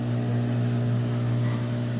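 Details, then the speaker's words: Whirlpool Cabrio washer model WTW8240YW0, about 8 years old, in spin cycle after replacing tub bearings, seal and shaft: steady smooth low hum with no grinding, rumble or knocking, then winding down; quiet, healthy spin, bearing noise gone. "the wash is in the middle of a spin cycle right now and it's a heck of a lot quieter than it was that's for sure I think it's running perfectly sounds like it's slowing down no bearing noise whatsoever"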